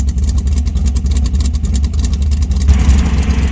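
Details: 1966 Dodge Dart 273 V8 with big short-track cam, four-speed, 3.91 rear gears, revived after years sitting: deep, loping idle, uneven chop around three beats a second, steady and clean; normal big-cam lope.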